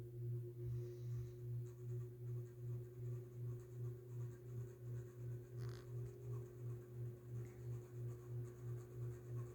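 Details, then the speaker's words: SMC-UB42 ceiling fan, owned three years, on high speed: low steady hum with a soft pulsing swell about three times a second, noisier lately; motor noise at high speed, cause not confirmed. "here's high speed it's gotten a little more noisier lately but once it keeps running it starts to um stop"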